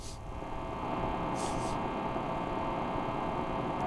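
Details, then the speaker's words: Steady low mains hum with a faint buzzy edge from an idle guitar pedal with distortion on, powered by an M-Vave pedal power supply through a charger in a wall outlet or extension cord; the hum comes from the outlet. "Okay. You hear that humming noise? Okay. If you hear that humming noise, that humming noise is came from our outlet. Okay, that went through our charger and go to our power pedal here."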